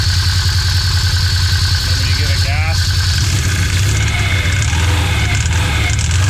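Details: Project Painkiller vehicle fired up in neutral after cleaning and repairs following a clay-filled trail run: catches and settles into steady, even idle, smooth low drone, no knocks or clutch chatter; normal idle.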